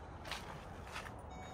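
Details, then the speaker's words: 2011–2019 Ford Explorer Police Interceptor Utility, key on and in reverse, after replacing a rear park aid sensor with corroded, snapped pins plus its harness: two clear high beeps over a faint idle, and the rear park aid now works normally. "okay we're going to see if can hear it beeping from back"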